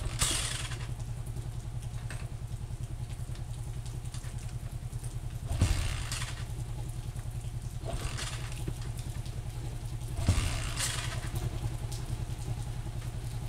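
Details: Honda TMX125 single after stator coil fix (not the carburetor), replaced valves, new pushrod and cleaned cylinder to eliminate backfire; small even putter idle at three to four beats a second, no backfire or misfire; running healthy.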